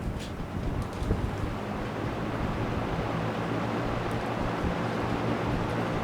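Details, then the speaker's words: Trash-picked Kenmore two-speed box fan, not oiled, back on high; cracked blades cause slight shaking: a steady whoosh over a low motor hum with no knocking, no worse than an average modern fan. Normal high-speed running. "I'd say it's no worse than your modern your average modern fan."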